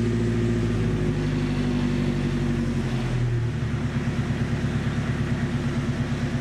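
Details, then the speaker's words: 1972 Datsun 510 with turbo KA24DET swap, after repairing broken exhaust with new welded 3-inch pipe: low, even exhaust rumble with steady pulses as revs settle, no rasp, ticks or leaks; quiet, healthy exhaust. "man this thing sounds pretty good huh pretty quiet"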